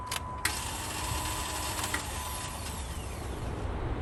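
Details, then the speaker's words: Jeep on key turn: a steady high whir with no cranking rhythm and no engine catching; the starter motor spins but does not engage the flywheel. "turn the key and hear the starter motor whirring, but it would engage the flywheel to turn over."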